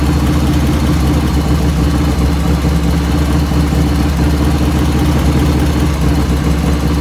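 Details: 1985 Harley FXR V-twin idling just after first start, still cold at about 49°F ambient, right after a float setting: steady, deep idle with an even beat and no ticking or clatter on top, lifters dead quiet; normal idle.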